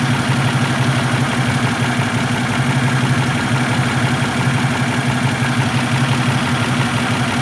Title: my misfire?